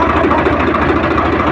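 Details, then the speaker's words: Swaraj 855 FE tractor after gearbox repair (previously noise in all gears except fourth and in neutral): idling in neutral, clutch pressed and released with no difference, steady even diesel beat, no gear rattle or whine; gearbox healthy. "अभी हमने ये clutch को दबाया और थोड़ा इस तरह से और इसका साउंड में कोई डिफरेंस नहीं हो रहा है"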